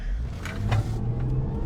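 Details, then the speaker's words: Land Rover Range Rover, about 260,000–300,000 km, after replacing the failed engine mount that caused a clunk and rattle on acceleration: engine pulls up smoothly on throttle, steady rising note, no clunk or rattle; both problems gone. "一个脚件把俩问题全解决了，你听着啊，那个问题肯定解决了。"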